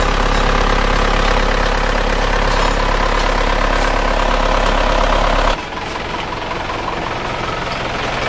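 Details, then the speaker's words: Isuzu Panther diesel after an engine overhaul, fast warm-up idle about 1000 rpm: steady, slightly rough clatter about three knocks a second; injector test showed 2 and 3 dribbling and not atomizing, only 1 and 4 spraying well. "ini mesinnya sudah hidup tetapi ini tadi sudah kita cek injektornya tanahnya buruk yang nomor 2 dan nomor 3 yang bisa mengabur dengan bagus hanya nomor satu dan nomor 4 sedangkan yang nomor 2 dan nomor 3 itu tidak menghapus sama sekali jadi kencing"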